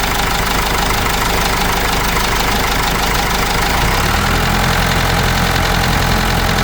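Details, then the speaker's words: Cummins 4BT diesel in Case 586E forklift: light uneven tapping three or four per second over low idle rumble; knocking suspected, cause unconfirmed. "The reason why I said that is you could hear the tapping when I was running this engine at first."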